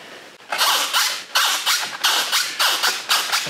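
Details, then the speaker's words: Volantex Phoenix 2400 FPV glider during initial setup: six sharp scratchy squeaks, about two per second, as the servo swings the rudder; something dry rubbing, owner suggests a little oil. "going to have to put something on there maybe a little bit of little bit of oil maybe a bit of singer oil or something like that might be good that's annoying"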